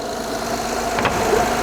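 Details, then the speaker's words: Honda J-series petrol V6 idling smoothly and evenly, no hissing or knocks, after replacing the leaking front-head VCM spool valve and fixing a vacuum leak found at startup; normal idle, no leaks. "But given that it's running quietly and I don't observe any leaks here"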